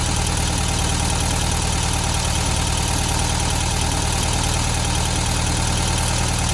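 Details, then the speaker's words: 1972 VW Beetle 1200 air-cooled, after setting valve clearances and changing spark plugs, now running on 4 cylinders: fast, even ticking about four per second over idle; valves likely set too loose, need tightening. "So you could hear the valve train noise there. Definitely think we went a little bit overboard with those valve timings."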